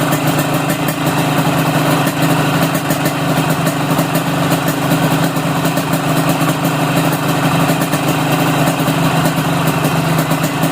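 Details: Yamaha RX King two-stroke carburetor, air screw closed fully then opened half a turn for rich setting: steady, slightly burbly idle with an even beat and no misfires; rich idle mixture.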